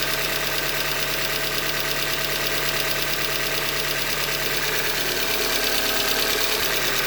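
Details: 2015 Hyundai Elantra Limited at 91,000 km: a sharp, regular knock about three times a second, deep in the block at cold idle, from a short block failure described as a manufacturer defect.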